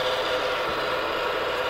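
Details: Jenn-Air JFC2089WEM11 refrigerator (Whirlpool-built), heard close up with the cover off: steady, dry, rasping grind from the cycling damper control motor, which is wearing out; fix is replacing the damper control.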